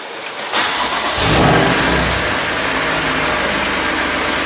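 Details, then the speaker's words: Crash-rebuilt BMW M2 Competition, first start after rebuild with oil cooler lines plumbed in; starter whirrs, engine catches and flares, then settles to a quiet even idle with no knocks or leaks. "really quiet you wouldn't know it that's for sure"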